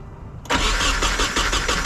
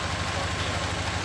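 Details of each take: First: Nissan 240SX with freshly swapped replacement KA24DE, started fine earlier, now cranked with a little gas to reach operating temperature; even cranking pulses for about four seconds, never catches, crank no start; crew suspects something was disconnected. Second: Nissan 240SX drift car, first start after swapping in a replacement KA24DE with healthy compression, new water pump, front main seal and oil pan, no cooling pipes connected; steady even idle, smooth low pulse, no knocks or misses, oil pressure good, sounds healthy.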